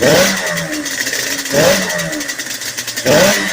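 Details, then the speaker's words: Yamaha Banshee 350 two-stroke twin, first start after full top and bottom end rebuild and new clutch, on choke, cold, cracked pipe, jetting not yet done: three sharp blips falling back with wet burble; running rich, much crispier. "Oh yeah, she's right there. She's rich though. She's much crispier though."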